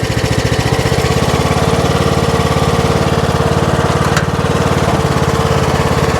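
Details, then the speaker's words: Troy-Bilt Pony riding mower, rescued from scrap, after electrical (fuse block) and steering repairs; steady single-cylinder chug at an even beat while driving, all 7 speeds working, no misses or knocks: normal running. "So I'll go ahead and crank it up. Take it for a little spin, and then I'll put you guys on the ground and we'll make a few little laps with it, test out the deck."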